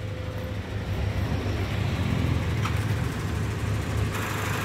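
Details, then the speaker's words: 2005 Toyota Kijang Innova G, petrol, manual, started on first crank: steady low idle rumble with even beat, no knocks, ticks or squeals; engine healthy, dry with no leaks, no exhaust smoke. "kondisi mesin sangat bagus ya Lur tidak ada suara aneh-aneh dan mesin masih kering"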